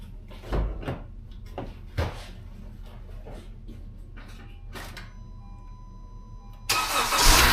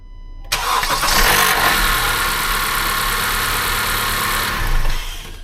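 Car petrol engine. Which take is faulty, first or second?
second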